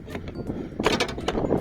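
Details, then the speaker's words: Iveco Daily 35-150 door being slammed shut, followed by a loose glassy rattle inside the door; the owner believes the rubber that holds the window glass has come loose. "Nós vamos abrir aqui, que eu acredito que a borracha que segura esse vidro, para ele não fazer esse barulho quando ele desce, deve ter soltado."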